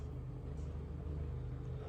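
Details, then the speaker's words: Vaillant combi boiler circulation pump motor, before replacement: a deep, loud rumbling hum with a fast, regular takır-takır clattering. The pump motor is faulty. "Şurayı çekersen takır takır takır takır takır takır takır takır takır ses yapıyor Yani devir daim pompa Motoru arızalı"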